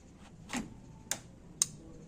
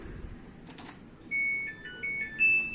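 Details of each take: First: Samsung washer-dryer with no power, main PCB fault: sharp relay clicks about twice a second over faint room hum with flickering light as the faulty main board keeps cycling power. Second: Samsung washer/dryer, no-power fault, after repairing the main PCB: quiet background, then a short run of bright electronic chime notes rising in pitch as it powers up and responds; normal power-on chime.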